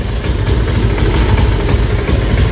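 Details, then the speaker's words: Honda Vario scooter idling low and unevenly with a lumpy beat, won't rev and dies when throttled; fuel starvation from a failing fuel pump, which could be mistaken for a TP sensor fault. "Bahkan nggak bisa hidup ya. Hanya bisa hidup langsam aja teman-teman, tapi nggak bisa digas ya. Tuh teman-teman, parah."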